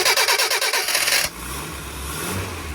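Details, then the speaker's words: Stone-cold A-series engine (replacement of original) with points distributor, fresh fuel, choke out, after new spark plugs and HT leads: quick even cranking, then clean firing into a steady smooth idle; normal cold start. "It's amazing what happens when you put new plugs and leads on."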